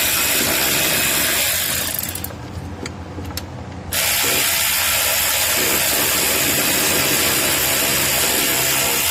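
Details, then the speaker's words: 2013 Honda Pilot J35 V6 that stalled while driving when the timing belt slipped: quick, even cranking near four beats a second with no labored compression pulses; no compression, valves likely bent, belt tensioner later found broken and leaking. "But it does sound like it doesn't have any compression, so I'm curious to see what it sounds like."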